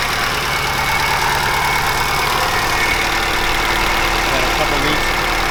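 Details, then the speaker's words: 2005 Subaru Impreza STi, 800+hp build with 64/66 Precision turbo, FIC injectors, flex fuel, BC cams, first startup, warming up: loud, uneven idle with a lumpy low pulse under heavy turbo hiss; untuned engine hunts and runs rough. "About to start it for the first time and get it up to temp. Mind you, the tune is not done, so it's gonna run weird."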